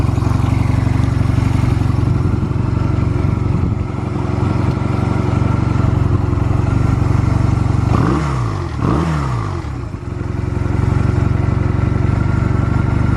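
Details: Stored Honda Rebel 250 Special (MC13-1103) start-up check: steady, even low thrum at idle with two quick throttle blips near the end, settling straight back with no knocks or ticks; normal idle, no abnormal engine noise.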